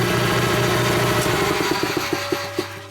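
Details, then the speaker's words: Rotary phase converter box buzz at start-up as a 7.5 hp air compressor motor kicks on and loads the system: steady low electrical hum and buzz, then knocking pulses as it settles; normal start-up behaviour. "i don't know if you can hear the buzz in the box when you first hit it"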